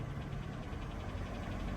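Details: Cheap used car at auction, engine idling with hood open: light, quick ticking over steady idle, not from belt or exhaust, getting louder with revs; engine tick, source unconfirmed.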